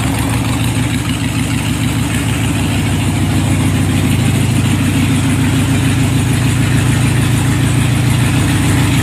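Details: 2001 Harley-Davidson Sportster 1200 Custom V-twin just after a primed cold start: a steady, loping uneven-firing beat with deep exhaust rumble, holding smoothly. Normal, healthy cold idle.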